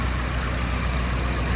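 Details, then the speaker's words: 1999 Nissan Silvia S15 Spec R, SR engine, 111,000 km, Blitz muffler: after starting, smooth steady low idle with an even pulse and no ticking, knocking or misses; normal idle. "engine started up fine as you saw there's no weird sound sounds like your uh typical Sr"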